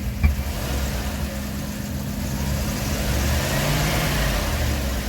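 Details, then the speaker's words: 1997 Dodge 3500 conversion van, 5.2 Magnum V8 after both cylinder heads replaced, first drive: engine revs rise with a weird whine while van barely moves, goes forward in first, nothing in second; owner suspects slipping automatic transmission. "Still goes forward in one. Nothing in two. And you can hear a weird whine."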